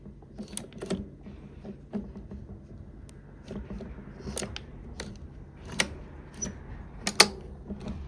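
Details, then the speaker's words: Teletype Model 33 KSR, unpowered, its mechanism worked by hand; irregular light clicks and sharp clacks; likely gummed up, with possible slop in the motor bearings suspected. "You can see that I can move this by hand. It seems to be clicking and clacking here."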